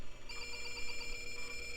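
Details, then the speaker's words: '90s desktop at power-on after restoration: a continuous high electronic tone while the hard drive spins up, meaning the board thinks a keyboard key is stuck. Keyboard LEDs show power. "and that's not good that sound means it thinks a key is stuck"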